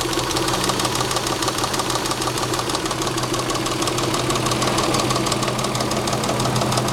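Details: Saab 3.0L engine at idle: steady sharp ticking knock about three per second over a smooth idle; owner suspects a bad lifter or rod knock.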